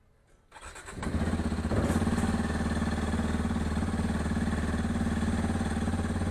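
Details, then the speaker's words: Hero Xpulse 210 single-cylinder cold start, bike with engine leak and starting problem since delivery, about 1000 km: quick crank, steady slightly raised idle with even firing while warming; normal cold fast idle. "और ये गाड़ी तो cold start करने का, और जब तक RPM normal पे नहीं आता तब तक आप इसको वेट करिएगा।"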